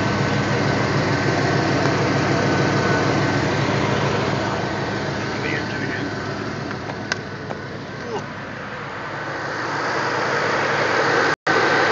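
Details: 2005 Pontiac GTO V8 with SLP headers and Corsa Sport exhaust at steady idle; light regular ticking about three per second over exhaust note, owner suspects exhaust leak at headers.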